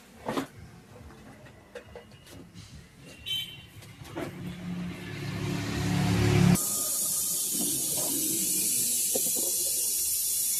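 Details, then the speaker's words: Pressure cooker not whistling, tested after vent-tube servicing and a new handle lock: a few light clicks, then a sudden steady high hiss; steam venting normally as pressure builds. "দেখুন বন্ধুরা pressure তৈরি হচ্ছে।"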